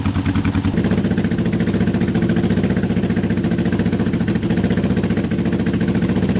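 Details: Honda CB750 K-series project bike, first start in years on unleaded petrol after an earlier fuel blockage: an uneven, lumpy, loping idle. Only the two cylinders on one side are firing, so two cylinders are dead; the owner expected a coil fault.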